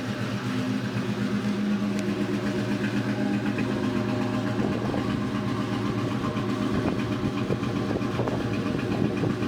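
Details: 2002 Mustang GT V8 idling with an uneven, stumbling beat: a misfire after a thread insert was installed in cylinder 3.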